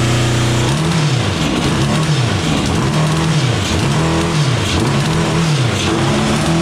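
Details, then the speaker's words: 1982 Honda CB750 DOHC four-cylinder in a cross kart, after head service and coil change: loud, lumpy note rising and sagging unevenly with blips, misfiring on some cylinders; owner guesses outer cylinders not firing, cause unconfirmed. "i'm going to say that the center ones are going to be running and the outside ones aren't going to be doing so hot"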